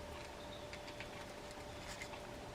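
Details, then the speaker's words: Mitchell 300 fishing reel during service and reassembly, grease on the main gear and shaft, transition gear fitted, handle cranked; quiet steady light hum with faint even ticking, no grinding or catching, gears run smoothly. "just give it a couple of cranks. And you can just hear it humming away there."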